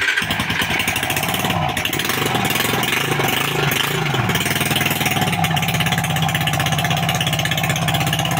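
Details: Suzuki Raider small single-cylinder motorcycle, worked on for a top-end knocking noise with valve cover opened: runs smoothly with even exhaust beat and clean revs, no top-end knock.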